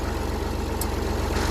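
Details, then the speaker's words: Massey Ferguson 35 tractor being restored, started first turn after about 3.5 gallons of hydraulic oil was added for testing: a steady even diesel chug at low idle with no misses or knocks. It idles smoothly and sounds healthy. "Start it up, first turn really well."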